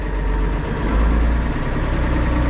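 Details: International 1586 diesel tractor with a sticking fuel check valve, after adding a diesel fuel additive: started first try, deep, steady idle without stumbling or dying; stays running for now. Normal idle.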